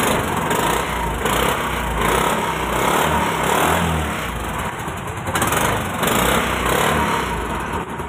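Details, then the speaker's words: Scooter that would not start despite spark and good plug, after tappet clearance adjustment (tight tappets): small single now starts and keeps a steady beat with no misses or stalling; normal running. "गाड़ी अपने start हो चुकी है बिल्कुल सही से कम कर रही है"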